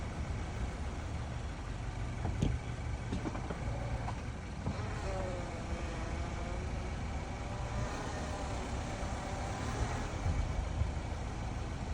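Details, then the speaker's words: 2020 Subaru Crosstrek Sport, 46k km, after 20-30 minutes of driving: faint whirring or whining rises and falls when reversing or accelerating from a stop over a quiet engine; drivetrain whine, awaiting dealer diagnosis. "now just on that one it's putting it in reverse the gear and it already starts to grind or make that whirling noise also makes it when from a dead stop you accelerate it makes that type of noise"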